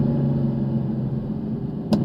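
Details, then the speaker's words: Mercedes-Benz C63 AMG V8 idling with a deep, even rumble, no knocks or misses, and a couple of brief clicks near the end. It runs and shifts great, though it is due for service. Normal V8 engine running. "Oh my god. Best sound ever. It runs great. It runs absolutely amazing."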